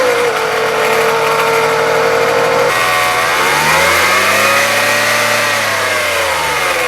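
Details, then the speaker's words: 2014 Dodge Avenger 2.4 L four-cylinder: rough grinding whine from the belt drive, rising and falling with engine revs, mainly from a bad idler pulley, with the serpentine belt tensioner also noisy. "the main cause of this noise is a bad idler pulley but the serpentine belt tensioner is also making noise"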